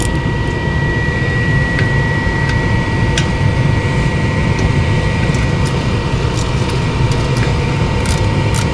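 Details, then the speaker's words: Single-stage gas furnace (EL180) fired up after gas valve replacement, before checking gas pressure and leaks: steady low burner roar with a thin constant tone and faint clicks; burner lit and holding flame. "so we'll fire it up and check that see what happens from here"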